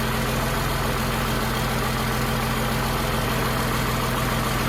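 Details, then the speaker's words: Humvee with swapped-in Cummins diesel, started after fitting a new transmission oil pan and refilling fluid, smoking at first: even, steady low chug of about two beats a second with no knocks or misses. Healthy diesel idle. "sounds good sounds like a runner"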